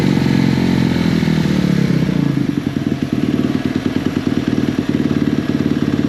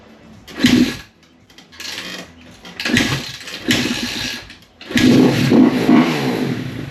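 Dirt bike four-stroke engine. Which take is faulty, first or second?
second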